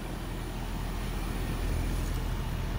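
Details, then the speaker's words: Newly installed Trane 5-ton variable-speed 20 SEER zoned system, running about 25–30 minutes after a kinked line was re-piped. A low, steady, even hum from the quiet outdoor compressor with no knocks or rattles; normal operation. "it is a beautiful system very get down quiet might be able to hear the compressor a little bit"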